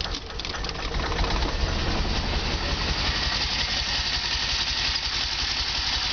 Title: Delorean Rough idle